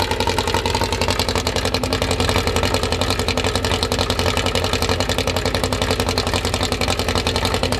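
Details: Newly assembled 2054 engine (Fusca) on its first start: steady fast idle at the 1200 rpm setting, kept high so parts seat in, regular pulse with faint gear whir; healthy.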